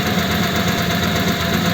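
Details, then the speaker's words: 1941 pickup with a French flathead engine, just started: even idle with a thin steady constant-pitch whine from the cam and crank gears being mismatched after a gear change; timing gear whine. "now I can hear that it's got a wine and that is a wine that you get with a mismatched Cam and crank gear because I had to change the gear before"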